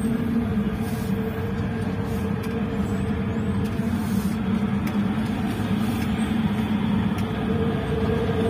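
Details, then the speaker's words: Old Toyota Avanza road test at only 20 km/h in neutral, owner complains of high-speed roar: constant low coarse rumble in the cabin under road noise; likely a worn propeller shaft center bearing. "untuk gemuruh atau suara kasarnya itu sangat jelas ya mungkin di video kurang begitu jelas padahal ini kecepatan hanya 20"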